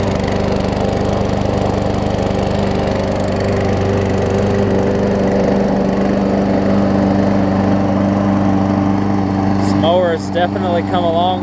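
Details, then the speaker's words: Murray push mower, Briggs & Stratton 450 series, transit-damaged and repaired, deck bent back, warm start: even steady drone, no knocking or blade hitting the deck; normal running. "so here we go runs good and not hit the deck anymore which is perfect"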